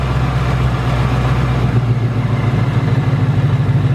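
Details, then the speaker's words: 2018 Ford Mustang GT Coyote V8 idling: fast, uneven metallic tick and light rattle over low rumble. Known "BBQ/typewriter tick" returned within the last two weeks, louder than ever; source unknown, owner says not from direct injection. "I mean the tick you know came back like in the last two weeks it's louder than ever and I'm not exactly sure what this tick is"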